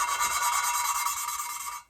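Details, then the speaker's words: Cylinder head rebuild, lapping a valve by hand with compound and oil: an even rasping rub whose gritty tone fades away with no crunch left, then it stops; that section of the valve seat is worked in and seated. "if you listen you can hear the the tone of the grit fade away and that means that that section has been kind of worked out and rotate it and do it again in a different spot"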